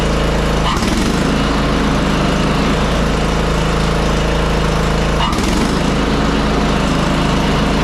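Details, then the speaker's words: Craftsman R1000 30-inch rear-engine riding mower after installing new blade brake assembly 983-05034: steady even engine drone, smooth blade whir, no rattles or scraping, blade stops at shutoff; normal running. "so now you can notice when we turn it off, you don't hear the blade still spinning or anything like that."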